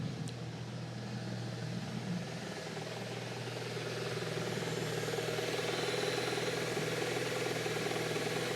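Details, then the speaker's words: Saab just started after purchase, in neutral: an even, settled idle with only a faint, very quiet repetitive tick in time with the engine and no knocking. The owner judges it sounds healthy. "It sounds like it should do, in all honesty. It doesn't sound bad at all."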